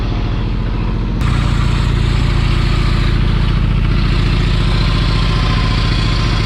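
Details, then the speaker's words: 1985 Kubota T1600 diesel garden tractor, 290 hours, testing after a repair: diesel picks up and settles into steady even chug, no whine, knock or grinding from drive; normal running, repair seems to work. "seems like it works"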